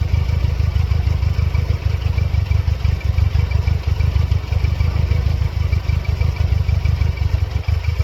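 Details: 1999 Mercedes-Benz C230 Kompressor (W202), check engine light on and flashing periodically: low idle stumbling and pulsing unevenly, about three beats a second with occasional dips; rough running, cause unclear.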